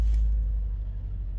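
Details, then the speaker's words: 2008 Toyota Corolla ZRE152, 151,000 km, check-engine light on, idling with low uneven lumpy stumble, running on three of four cylinders (dead cylinder); smoother at higher rpm, possibly indicating low compression. "we've got a dead hole misfiring if we bring the rpm up and it does feel a bit better but it might just be running fast enough where you know we can't feel the misfire"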